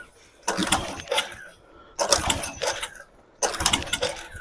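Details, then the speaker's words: Coleman PowerMate 3000 generator, 5.5 hp Tecumseh engine, fresh gasoline, primer possibly not working: three pull-start cranking bursts with long gaps, never catching. Cranks but will not start; owner suspects no spark. "The generator is on. It just doesn't want to start."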